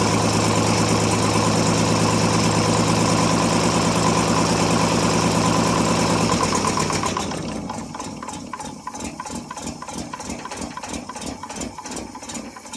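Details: 1957 International S120 4x4 pickup, old six, cold start after sitting about four years, fuel poured into carburettor: catches and settles into a steady, even idle around three beats a second, then drops off quieter; normal idle.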